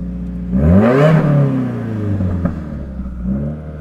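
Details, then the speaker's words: Subaru WRX with no boost: the gauge stays at zero while the engine revs and falls back, with a rising whir like escaping air, heard with the door open. Owner suspects a loose Greddy Type S blow-off valve or intercooler piping. "exhaust sounds great, but there's the weird whirring noise, and that's worrying."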